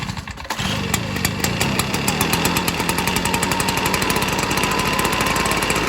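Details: Echo PB-265LN or 2005 Stihl BR420C Magnum backpack blower, cold start with choke set to run: pulls, catches within a second, then a strong, even high-pitched two-stroke buzz holding steady; running cleanly.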